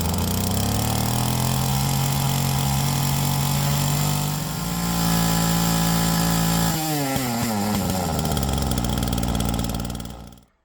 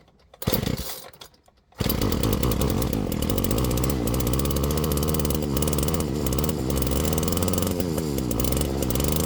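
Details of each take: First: Flymo Maxi Trim 430 two-stroke strimmer after carburettor rebuild with new diaphragm and mixture leaned: steady buzz rising as it is leaned, clean and even, then dropping smoothly at shutdown; now working properly. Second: Flymo Maxi Trim 430 two-stroke strimmer after carburettor cleaning and replacing a split fuel metering diaphragm: uneven, blubbery four-stroking at fast idle, smelling and sounding rich before the mixture was leaned out.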